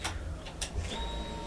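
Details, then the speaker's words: Kawasaki Ninja 650 revived after being abandoned, after the tip-over sensor was moved around and the tank cleaned: a few light clicks at key-on, then a faint steady high hum for about a second as the fuel pump primes normally. "I could turn it on right now. See, fuel pump priming, or"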